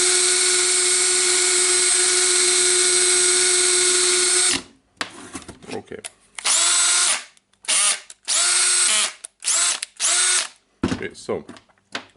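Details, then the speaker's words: Makita DDF482 18V drill after full teardown, cleaning and new brushes; it had been smoking with a slipping gear: a steady high motor whine for four seconds, then short even trigger bursts with no grinding or slipping. Normal running. "led this drill and we can turn it on okay it started to work that's a good time for us"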